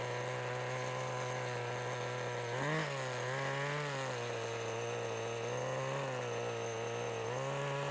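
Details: 1988 Kyosho Ford RS-200 RC car with OS Max 10 FP-B nitro engine, second startup since restoration, pulley starter spring weakening: fires up easily, smooth buzzy note rising and dipping with throttle, never stumbling; healthy, well-tuned.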